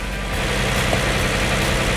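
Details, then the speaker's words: 2007 Hyundai Entourage 3.8 V6 after a new MAF/IAT sensor and filter (P0102, previous no-start): engine starts and holds a steady, even idle with no dips or stumbling, staying on where it used to die. "The key So far it's staying on. We can wait for about 30 seconds or minutes. Staying on. That's good."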